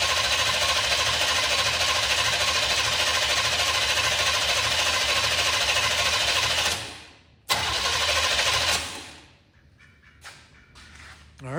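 Fast even cranking at roughly three beats a second for several seconds, no grinding or slowing; starter spinning the engine normally.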